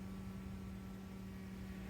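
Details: 1996 Chrysler Voyager 2.4 petrol, which was misfiring: the new fuel pump runs through its relay on a makeshift gauge, with pressure climbing to and holding 3.3 bar; a steady low electric hum at one even pitch with no surging or whining, the pump running smoothly.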